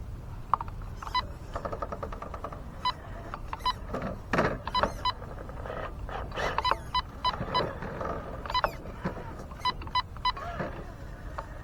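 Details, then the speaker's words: Traxxas TRX-4 Sport with Hobbywing Fusion 1800 2-in-1 motor: short, sharp high beeps whenever steering works hard, as the servo draws heavy current and sags battery voltage; low-battery warning. "Maybe you can hear is the battery warning. Every time I turn, the servo draws a ton of current and causes the battery's voltage to drop."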